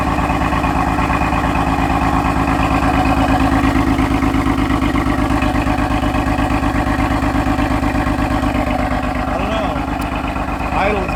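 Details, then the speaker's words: Rough, shaky cold-start idle pulsing unevenly with a lumpy rhythm, no check-engine light, right after starting the owner's car; rough idle on cold start, cause not identified. "the idol is really bad it's on cold start and it's shaky shaking right now guys i don't have an engine light shaky guys you hear that idol sounds bad"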